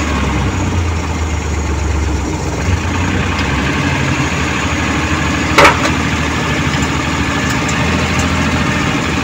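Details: Suzuki Multicab F6A engine that would not start, now running after carburetor overhaul, cleaning and float valve adjustment: steady, even idle with a smooth low thrum, no misses, knocks or hunting; healthy.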